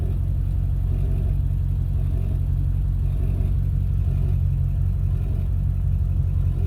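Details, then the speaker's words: Ford 7.3 Powerstroke diesel with KC300X turbo, power loss, slow spool, poor mileage: deep rumble with loose uneven puffing pulse from exhaust leaking at turbo up pipes. "happen so i think it kind of sounds like an exhaust leak"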